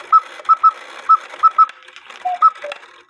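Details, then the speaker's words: Count-wheel cuckoo clock: irregular high chirps, about one a second with some paired, mixed into the cuckoo call, because the cuckoo bird wire lifts the quail wire; adjusting the wires stopped the chirp. "did you see that the cuckoo bird wire lifted the quail wire so that's why I made a chirp while I was cucking"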